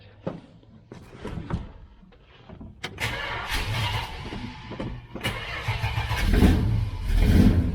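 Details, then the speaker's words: 1966 Dodge Charger, aluminum-head 383 V8 with Holley 4150 double-pumper carb during tuning: cranks, catches, then runs unevenly with irregular thumps and banging while warming up; misfire suspected from fouled spark plugs. "i think we had a little bit of a foul plug situation it's got a little bit of a misfire starting to re-light those holes"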